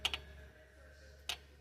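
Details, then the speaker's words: Honda with codes P0341/P0366, VTC cam-timing solenoids fed power directly: three crisp, light clicks over a faint hum, the exhaust solenoid slightly louder, both clicking and working. "it sounds like the S the exhaust a little bit louder but both are clicking"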